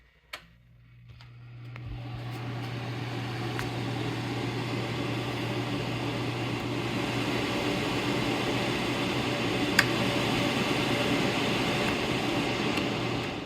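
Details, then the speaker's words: Small modified sine wave inverter with an always-running cooling fan, started after a pure sine wave unit: fan spins up over a couple of seconds, then an even, steady whoosh with low hum and no buzz; normal fan run. "We'll fire on the little guy. This little fella has a fan that runs all the time"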